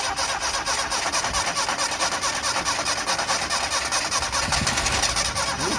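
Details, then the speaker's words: 1988 Yugo GV first start after sitting about 20 years, given a little fresh gasoline. Rough, uneven firing catches for a few seconds but never settles into an idle; the engine is starved of fuel. "yeah yeah know it did it fired up it doesn't have any fuel in it you know wow but it did it did start so it doesn't sound bad"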